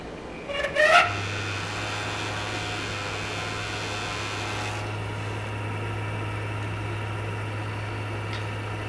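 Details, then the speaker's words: PlayStation 4 CUH-1115A that was overheating, on power-up: loud steady low hum with rough rushing whir from the cooling fan, a noise it didn't have before; failing fan needs replacing. "find out noise and they didn't have before that is not good it is fan making that noise"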